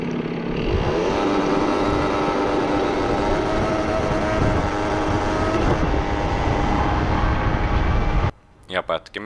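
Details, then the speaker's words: Two-stroke research scooter whose cutting out persisted even after reducing the carburettor jet from 60 to 54; rough, uneven, stumbling idle that cuts out dead after about eight seconds; ignition misfire later traced to the CDI. "Eli nyt se pätkiminen ei loppunut sillä suuttimen pienentämiselläkään."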